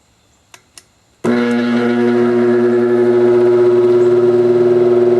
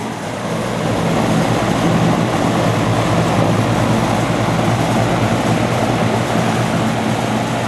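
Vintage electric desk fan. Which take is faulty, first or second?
first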